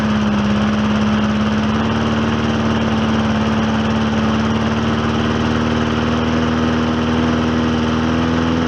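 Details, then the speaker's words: Old Hyper Tough lawnmower after cleanup and new rear wheels, run with diesel oil: it runs at a steady, even pitch with the firing hum holding level after brief choking; running healthily, repair called successful. "it's kind of choking itself a little bit but notice how it got leveled out and uh I'm gonna call that a successful repair"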